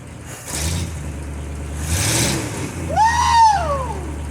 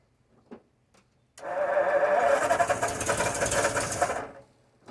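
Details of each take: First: 1952 Ford F-1, first start in 28 years after a carb rebuild and ignition upgrade, caught with less choke: low, lumpy rumble idling on its own, somewhat uneven, with some smoke afterward; normal idle. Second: 1952 Ford F-1, first start in 28 years, carb rebuilt, PerTronix ignition, timing being adjusted: about three seconds of steady cranking, turning over evenly but never catching; out of fuel, having run on leftover fuel.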